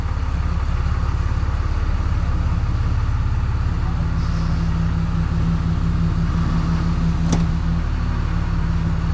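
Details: Freshly rebuilt 6.7 Cummins diesel idling in the shop before the hot retorques; check engine light on, which the owner attributes to the turbo: an even low clatter at about 2.5 pulses a second with no knocks; a normal idle.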